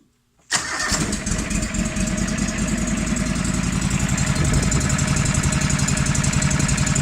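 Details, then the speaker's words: Engine with head gasket failure, milky oil and a known slight knock cranks, catches and idles with a light, regular tick about four per second over the exhaust beat: engine ticking. "Yeah, you can kind of hear it ticking."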